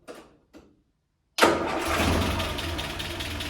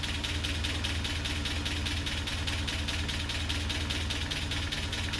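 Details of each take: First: Land Rover Series 3, after head gasket replacement, retimed, run up to temperature: brief ignition click, engine catches at once and settles into steady, even idle; normal start. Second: Land Rover Series 3 four-cylinder, warm at idle after a head gasket replacement (cylinder 4 compression now 10.5); a light, steady tick about two per second rides over it and has improved; owner unsure if it is normal.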